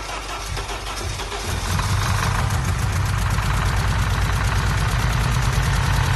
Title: Z20let forged engine first start up with misfire